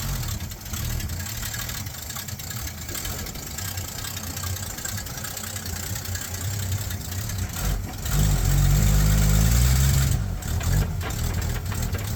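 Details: 1966 Ford Mustang project car at a low, uneven idle that lopes and sags, then briefly picks up, as if about to stall; rough idle, cause unclear.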